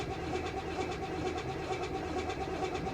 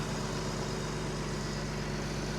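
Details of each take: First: 1992 BMW 325ic at a Copart salvage auction, which fired right up last time: long, slow, uneven cranking with spitting from the exhaust, and the engine never catches. Flooding is suspected; not confirmed. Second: Salvage 1992 BMW 325ic, jump-started, with the alternator charging: a smooth, even idle with a steady low hum and no ticks, knocks or speed wobble; the engine sounds healthy.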